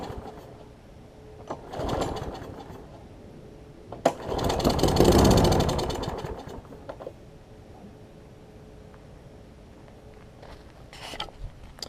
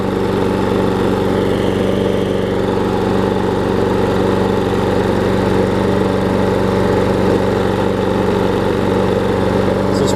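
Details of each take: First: Troy-Bilt big-wheel self-propelled mower, auto choke, carb bowl gasket missing: engine fires in short bursts on starter fluid, catching and dying within seconds, so spark is fine but the carb isn't feeding fuel; owner suspects choke arm. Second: Troy-Bilt self-propelled mower after carb bowl gasket replacement and new self-propel belt, self-propel drive engaged: steady, even single-cylinder drone at constant speed without misses or surging; running healthy and drive working.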